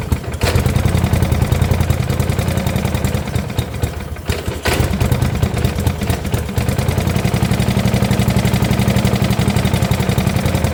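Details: 1972 Gravely 816 with Kohler Command 18, running after carb modification: rough running with irregular heavy knock over a low clattery idle that dips midway. Cause not confirmed; motor judged pretty much blown up, likely why parked.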